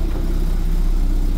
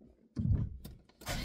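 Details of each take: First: Car on unlock (immobilizer-delete) ECU after adjustment, A/C on: low even hum at one steady speed, no hunting or stumbling, idle slightly fast; AFR correct though software not fully right; normal idle. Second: Car fitted with a swapped immobilizer-delete (unlock) ECU that may hold original EPROM software: engine catches after short crank, then surges and sags unevenly, won't hold idle; owner suspects software mismatch due to car's eccentric (cam) mod, unconfirmed.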